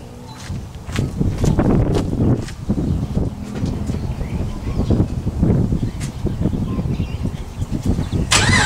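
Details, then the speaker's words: Holden VX SS Commodore Gen 3 V8 with new exhaust fitted: cranks and catches into a low muffled irregular burble, tamed by the extra rear hot dog muffler; sounds too polite for a V8. "I mean, new exhaust, but with the hot dog in the back, it sounds too polite."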